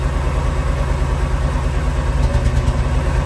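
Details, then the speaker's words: V8 in a C20 Crown Vic frame swap, just started, cold with thermostat not yet open: steady, even low idle rumble with no ticking, knocking or rattle; exhaust sounds good and the engine runs smooth. "See here there she's running. Exhaust sounds pretty good as well."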